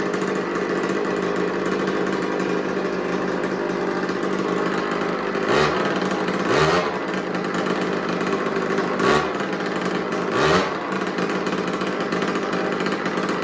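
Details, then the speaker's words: Small old two-stroke 50cc mini MX dirtbike, made in Italy; after idle turned down it buzzes evenly at idle with clean throttle blips, settling back; runs better, normal running. "all right so I turn the idle down now it runs a little better"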